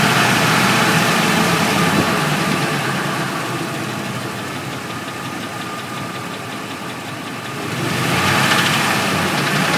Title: F150 knocking noise